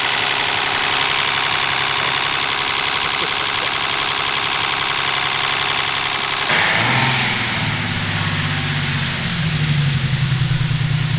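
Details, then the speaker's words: Turbo BMW E36 wagon, freshly rebuilt engine, first startup; fast light ticking from the cylinder head over the exhaust note at idle; owner expects head noise to clear up, likely lifters pumping up; otherwise sounds great. "I swear besides the head noise though sounds great"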